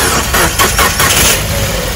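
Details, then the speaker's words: Maruti car, slow hard self-start: a few heavy, sluggish cranking beats about four a second before the engine settles; it has been slow to start with a cranky sound, and a second battery is to be tried to check whether the battery is at fault. "ये है self start करते time बहुत दिक्कत आ रही है, ये आवाज़ सुनिए।"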